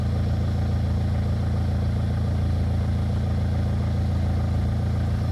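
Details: Peugeot 206 after heater matrix and O-ring replacement, refilled with coolant, cap off, battery and airbox refitted, checked for leaks while warming: smooth even low idle, steady hum, no misses, knocks or hunting; healthy, no leaks.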